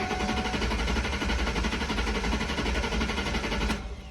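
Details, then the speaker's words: Ford Mustang GT crank no start: steady starter churning with no catch and no fuel pump prime hum heard beforehand; suspected failed fuel pump, fixed by replacing the pump. "we have a crank no start I don't hear a fuel pump priming so that's what I'm leaning"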